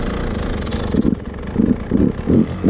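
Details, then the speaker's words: 2024 Beta 250RR Racing 2-stroke with Lectron 38 mm carb, metering rod a further full turn leaner: quick throttle blips where revs swell then sag; bogging, likely too lean. "All right, we went another full turn leaner on the metering rod. And I think it's a little bit too lean now. Yep. Starting to bo when you"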